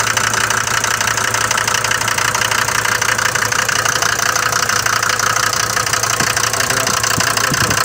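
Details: Mercedes diesel from Libya, cold morning idle: loud, sharp clatter about four knocks a second, far harsher than the normal knock of these engines; owner bought it with this noise, cause unclear.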